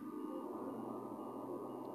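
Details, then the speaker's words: Double-battery UPS just switched on, output voltage complaint: steady buzz with dense gritty crackling like sparking from the transformer. "ये आप गौर से सुने, ये transformer जो है ना, ये एक जैसे स्पार्किंग होती है इस तरह की एक आवाज़ पैदा कर"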